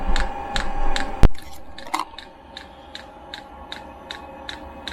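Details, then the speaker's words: 5 kW all-in-one 12 V diesel heater on pump diesel, restart after a failed first start with unprimed fuel line: light even dosing-pump ticks two to three a second over quiet hum; normal fuel feed. "i haven't actually pre-primed this so as the pump gets quicker it should fire up"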